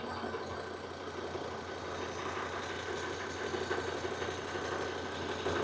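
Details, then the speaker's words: Volvo with new plugs and coils, misfire found on cylinder 3 by oscilloscope though scanner blamed another cylinder; after the fix it idles steadily and evenly with no skips: misfire gone, normal idle. "miren ya mi fire se fue ya completamente desapareció completamente."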